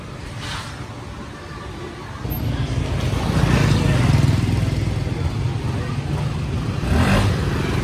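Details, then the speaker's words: 2018 Honda SH300i scooter after CVT clutch rework and engine adjustment, hot engine: low even note rising smoothly when revved and settling back, earlier clacking gone, lighter revving; normal running. "Giờ mình cố t làm có một cái lỗi đó nó im Mở tua nó nhẹ xe máy móc g không ba anh em nóng vẫn này luôn không có kêu"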